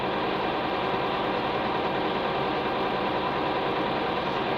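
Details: Hay-mowing tractor diesel after bleeding air from the fuel lines following dirty-fuel trouble (no fuel additive used this year): even, steady idle with no misses, surges or knocks as it smooths out; normal running.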